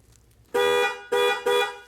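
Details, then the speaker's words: Chevy/GMC truck with 6.0L and inoperative horn, horn wire grounded; three short, strong honks with a clear, steady two-tone blare and no rasp, horn works, so the fault lies up in the steering wheel. "okay because when we send the ground to this wire over here our horn works"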